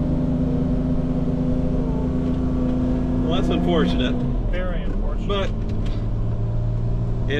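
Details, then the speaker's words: Audi R8 with new Capristo exhaust and headers, exhaust manifold leak already fixed: steady low moan under the idle rumble persists unchanged; cause not found. "You saw an issue, we fixed it. Unfortunately, it's not the moan. The moan will not leave."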